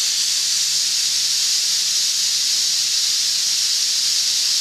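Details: Boiler safety valve being set on steam, this one set at 130: loud steady high-pitched hiss holding evenly; valve lifting cleanly at set pressure; normal lift.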